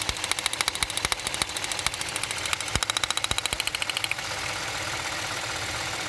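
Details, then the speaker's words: Idling engine with a spark plug wire pulled; sharp uneven snapping cracks about three a second that then drop out; spark plug wire arcing. "I mean this thing, I don't have to do anything to it. It is popping. But there's no difference in the idle."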